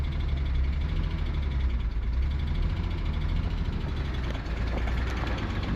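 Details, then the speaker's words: Nissan R34 Skyline, 149,000 km, parked 10 years, first self-sustaining start with pod filter and AFM hooked up, stale fuel, no coolant: a deep, lumpy idle that surges and stumbles, a rough misfire, cause not confirmed. "The fuel is stale. The engine sounds like ass. It's got no coolant in it, but she's actually staying on under her own power."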